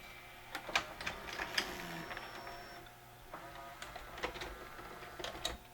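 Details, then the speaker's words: Mitsubishi HS-U760 S-VHS VCR after a new loading belt and cleaning: a quiet whir of small motors with light clicks and a soft clunk as the cassette ejects cleanly. The mechanism works normally. "so far it looks great it loads everything's perfect let's see if it gives the tape back real quickly"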